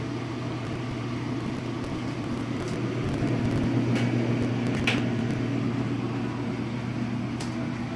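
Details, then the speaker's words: Steady low rumble with an uneven throb about four times a second from a leveled washing machine on spin cycle, before fitting anti-vibration pads; moderate vibration. "as the outcomes go up doesn't you start to really hear the vibration it's not too particularly bad considering that there are downstairs neighbors"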